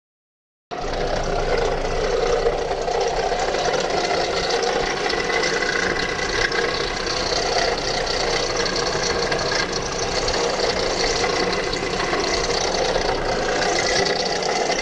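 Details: 2007 Hyundai Sonata at idle: sudden steady loud chattering rattle, even and continuous; with the belt removed the alternator was found making the noise, with burning-wiring smell, and alternator and belt were replaced.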